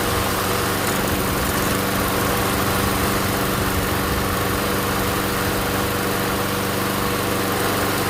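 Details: MTD Gold self-propelled mower with Briggs & Stratton Quantum engine, primed and started outdoors after pull-rope repair: steady, even single-cylinder drone, no misses or surging; runs good, self-propel intermittent, front wheels suspected.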